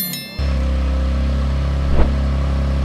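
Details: Rebuilt wrecked Infiniti Q50 twin turbo, first start after reassembly with a recharged, possibly bad battery: starter whirs briefly, engine catches cleanly and settles into a steady, even idle with no misses or knocks; no check engine light.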